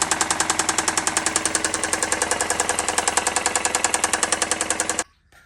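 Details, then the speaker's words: 2017 Ford Escape engine run out of oil: loud rapid metallic rod knock, about ten a second, over the idle until shutoff, from oil starvation; the engine is being replaced. "as you can see from the previous uh video you could see it was knocking pretty bad"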